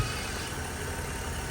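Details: Drift car at Driftland after being refilled with about five and a half liters of water and bled: steady low engine hum at idle with even rumble, no knocks or misses; idle sounds healthy.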